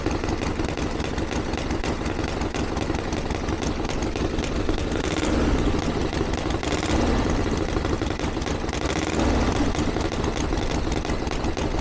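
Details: 1982 Harley-Davidson Ironhead Sportster after two years of tinkering, started on choke with timing reset; loud open-piped V-twin lopes evenly with crisp throttle blips, no misses or knocks. Running better than ever, though owner feels it's slightly lean under acceleration and needs further tuning.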